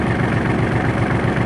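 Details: Kubota L3830 diesel tractor after ignition switch replacement, which fixed the dash cutting out while cranking: even, steady low diesel chug at idle with no misses, knocks or rattles; normal idle.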